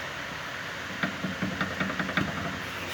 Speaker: dá para pegar o barulho da bieleta sem sem balança ao veículo se balançar então nem se fala